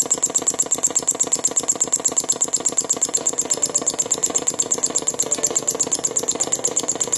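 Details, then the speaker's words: NuTone IM5006 radio intercom master station, about 16–17 years in a house, powered on: rapid steady pulsing, about three beats a second, from the speaker over faint hiss; display lit, audio circuit faulty. "and you can hear that it's got this rapid pulsating noise coming out of the speaker"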